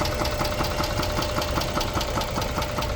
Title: 2006 Chrysler 300 3.5 V6 engine knock